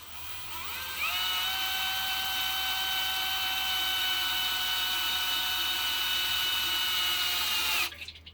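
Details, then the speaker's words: Mustang 351 engine parked 10+ years, oil pump primed by drill through the distributor drive hex: drill spools to a steady high whine at even pitch as pressure builds and oil reaches the lifters; tight engine, normal priming. "There we go, you can hear it starting to build pressure. I'm going to slow down."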